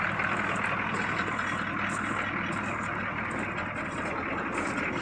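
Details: 1982 Chevy Blazer with the 6.2 Detroit diesel on a cold start at about 20°F, after sitting three days: steady, even clatter at a settled idle with a quiet exhaust and no knocks or misses; healthy cold idle.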